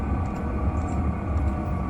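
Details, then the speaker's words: Chinese diesel air heater on its lowest setting, fuel pump at 1.6 strokes per second, drawing 0.8–1.5 A: low steady fan hum slowing down, soft pump ticks about twice a second, no rattles. Normal running at lowest setting. "we're now going to set the heater to its lowest level which is 1.6 oscillations of the fuel pump per second we'll now hear the fans slow down as the pump slows down"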